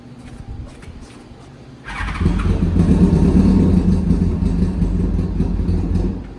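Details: Engine first start after carbs cleaned, rejetted and reassembled: catches after a brief crank and settles into a steady, smooth, low-toned idle with an even beat and no misfire or stumbling.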